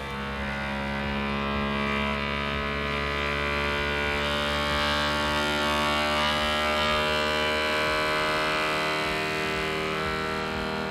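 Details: Voron Legacy 3D printer during input shaper resonance test, around 41 Hz: steady buzzing tone with constant hum as the printer shakes itself through the sweep; normal tuning run.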